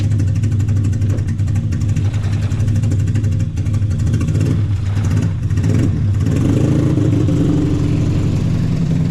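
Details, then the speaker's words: Honda K24 engine with big injectors on a stock ECU, idling: deep low idle with an uneven, lumpy beat and occasional stumbles; choppy possible misfire, stock injectors to be fitted to rule it out. "I told him to uh swap out the uh injectors for some stock ones to kind of rule out the misfire sound or whatever this choppiness that it has."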